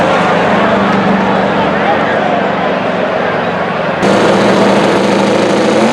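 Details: Twin-turbo El Camino at high load: loud, hard-revving engine with an uneven, stumbling exhaust note under the roar, consistent with a misfire.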